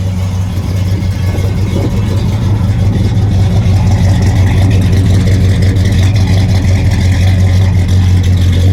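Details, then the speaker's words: 1966 Pontiac GTO hardtop, rebuilt 389 ci V8 bored .030 over, Brawler 650 cfm carb, 4-speed manual, custom dual exhaust, just started and warming, heard from the engine compartment: deep, steady, even V8 idle with no knocks or misses; normal idle. "nice and clean engine compartments starts up all the time good battery good alternator"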